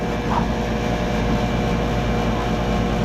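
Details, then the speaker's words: 2012 Bryant Legacy Line 2.5-ton outdoor air conditioner running on a 73°F day: steady heavy low hum with coarse loud buzzing on top, unusually loud; cause unknown. "there they stopped it is buzzing so yeah it's buzzing a lot I'm not sure why it got like this"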